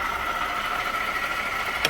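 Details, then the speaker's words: 2018 Jeep Grand Cherokee 3.6 at idle, heard through a screwdriver held on top of the water pump after checking the tensioner: a steady, loud, high whirring tone; worn water pump bearing whine, and the pump is replaced. "Then I'm going to go to the water pump. Right to the top of the water pump there. Right there. Ooh, yeah. Ooh, doggy. That's loud."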